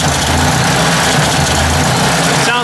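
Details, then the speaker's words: Ford 800 tractor after oil fill, carburetor icing up: low engine thrum loses its even beat and stumbles; owner thinks the carburetor needs cleaning and it may run better gravity-fed; rough running. "it's backfire not backfiring but you know it's got a bit of a something going on there"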